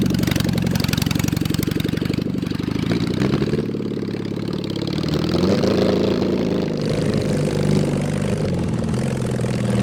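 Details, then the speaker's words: Mid-70s Honda CB750 SOHC engine swapped into a 1980s Suzuki Quad Sport 230, first ride on a cold day: a loud, uneven, stumbling exhaust beat that surges and sags, running rough and misfiring; carburetors, missing exhaust or worn points ignition suspected. "yeah but well done man uh it runs like garbage but uh i mean you were still able to jump in and do bootlegs"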